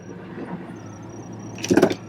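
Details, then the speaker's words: Ford Expedition V8 after replacing the failed coil on cylinder one, which had been misfiring: low, even idle with no stumble or skipped beats, a brief clunk nearby; now running smooth on all cylinders. "all right oh yeah that took care of it she's smooth now oh baby"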